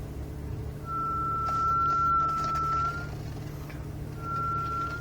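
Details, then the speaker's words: 2009 BMW 335i Convertible: steady high brake squeal of about two seconds, then a shorter one, over low engine rumble while reversing, persisting about a week and a half after brakes and rotors were replaced. "this videos to show you that the that the vehicle still makes the noise when we when reversing"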